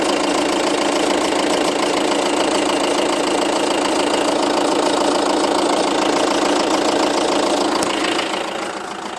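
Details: 2007 Seat Leon 2.0 TDI 140, 30k miles, just had cam belt, water pump and major service: steady ticking three or four times a second at diesel idle, heard mainly from the nearside front wheel arch, not with bonnet open; cause unknown.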